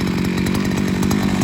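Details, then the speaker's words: 42cc 5-in-1 multi-tool strimmer, seven years old, only spark plug replaced, a loose bolt missing: loud, steady two-stroke buzz with fast, even firing pulses and no misses or surging; normal running. "yeah it still runs pretty fine like i say that's not got a bolt in it anymore so it's flopped around all over the place but it doesn't bother me it's quite a loud machine so ear defenders are a must"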